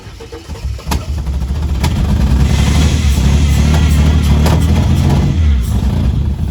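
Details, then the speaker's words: Ford AU Falcon after new Mk1 Golf plug wires and idle screw adjustment, starting easily; catches and runs lumpy and low with sharp exhaust bangs every second or two: small backfire on start-up, then settles. "this is how easy it starts now small [Music] backfire and then that FKS is done"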